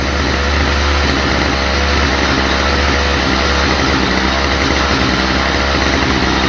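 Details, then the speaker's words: Stihl FS45 two-stroke trimmer still on its old cleaned carburetor, before replacement: loud, steady but slightly rough buzz at low speed. Poor running, same fault as before, likely fuel delivery; the carburetor is to be swapped. "It's uh doing the same thing as it was the other day. I mean, I like I said, I could use that carburetor if it was my personal."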